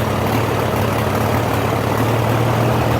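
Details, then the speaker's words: Farmall H tractor at operating temperature after plowing, air cleaner off: a low, heavy idle with an uneven, loping, crackling beat; runs rough after a few rounds; owner suspects carburetor adjustment, unconfirmed. "crap so I don't know the carburetors out of adjustment or what"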